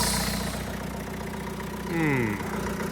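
Diesel ticks over quietly and evenly with the belt off and the noise gone, so the fault lies in a belt-driven accessory.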